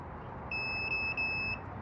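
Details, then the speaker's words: 1999 Lexus ES300, multimeter continuity test on the knock sensor wiring harness, first wire to its pin: steady high beep about a second with a brief dropout. Continuity confirmed, wire intact. "As you can hear, we have continuity."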